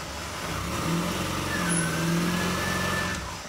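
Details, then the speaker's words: 2005 Chrysler Sebring started after alternator test: engine catches and settles into a steady, even run with a smooth low hum and no knocks; charging just over 14 volts. "and you can hear it start up so this works"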